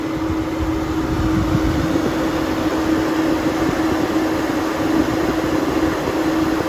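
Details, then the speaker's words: 5-year-old Suburban NT-20SQ RV furnace with new burner, running about 30 minutes, clean blue flame; smooth steady burner roar, even blower hum, no popping, rumbling or flutter: normal furnace operation after repair. "it sounds normal out here with the new burner i'm happy this has been running for about 30 minutes"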